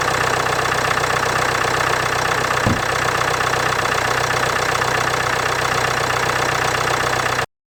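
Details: 2016 Land Rover Discovery Sport Ingenium D180 2.0L diesel at cold idle below 10°C: steady, even diesel clatter with no extra knocks or rattles; compared before versus after timing chain replacement.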